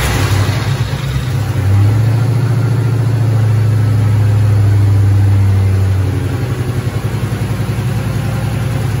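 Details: 2008 Mustang GT S197 V8, first startup after priming, following new cams and lifter and rocker arm work to fix a ticking: settles into steady, even low rumble with no ticking; normal idle, little grease smoke off exhaust.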